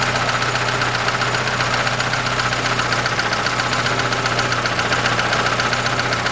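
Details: 2006 Chevrolet Lanos, 1.5 petrol, manual, 342,000 km, idling after replacing a valve rocker whose poor quality had caused valve knock. Steady, even idle with only a light regular tick and no heavy knock.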